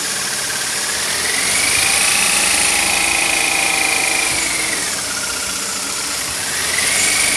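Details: BMW E46 318i petrol engine idling with a high whistling whine that drifts in pitch. The water pump, all rollers, belts and DISA valve have already been replaced; a mechanic suspects a slack timing chain, unconfirmed.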